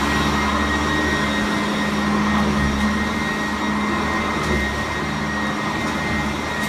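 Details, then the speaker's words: Vacuum cleaner on carpet with the height set back to 2, after whining at another setting: even motor hum and soft brush whir with much less whine; normal brush roll sound. "So let's go back to 2. A lot less. The brush is smoother."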